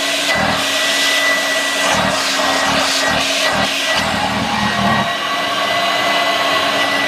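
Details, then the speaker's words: 1986 Vorwerk VK 117-1H upright vacuum cleaner, cleaned and reassembled: loud steady motor roar with a fixed hum and a thin high whine; the owner suspects a somewhat dry motor bearing. "yes there are some who strange noises coming from yep flat yeah it's like this going that's why it makes that and that bearing from the mother is somewhat dry"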